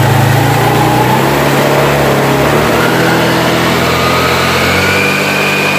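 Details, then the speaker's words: Scooter CVT test with the engine running after checking the sliding pieces: revs climb smoothly and steadily with no sag, the pulley closes and clutch engages in sequence with no power drop; normal CVT and slider operation. "Hei Oke jadi seperti ini kalau jika bagian Eh slidding ini normal gerakan mainnya itu Dia panbelnya masuk gang selingnya buka dia berurutan seperti barusan tidak anjlok"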